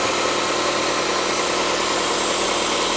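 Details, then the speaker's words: 2006 Mitsubishi Lancer ES, left unused in a storage unit about 4–5 years with five-year-old fuel, first start: steady even idle with smooth hiss, no ticking or knocking; runs cleanly. "oh it's running that's good thing's running good this sounds perfect"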